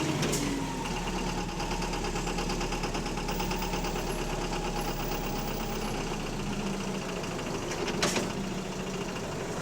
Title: Loud Engine Rod Knocking | AL HV48 On Bus Route 335 Part 4 (4)